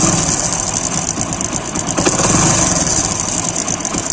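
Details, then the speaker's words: Cold idle on a recently rebuilt motorcycle (timing chain replaced not long ago): light, quick metallic chatter over the engine beat, quieter once warm; worn timing chain tensioner roller letting the chain rattle. "यह हल्की हल्की जो नचना की आवाज आ रही है वीर से यह आवाज आ रही"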